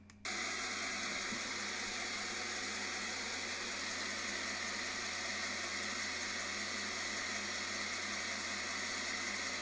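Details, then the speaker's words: Steady amplified hiss turning into crackly puffing as a sound-amplifier probe is moved along the suspected area and nears an exhaust leak that can be heard but not seen. "Okay, so you got an exhaust leak. You can hear it. It's pretty obvious. You can hear it. It's there. You just can't see it."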